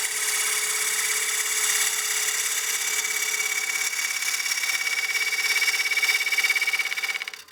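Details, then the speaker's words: Lathe roughing a partially seasoned walnut bowl with a gouge: the hissing cut picks up a buzzing, rattling chatter as the tool extends further past the tool rest at the corner. Chatter from excessive overhang, fixed by moving the rest closer. "getting a little bit of chatter as that Tool's getting further and further over the rest right here on the corner"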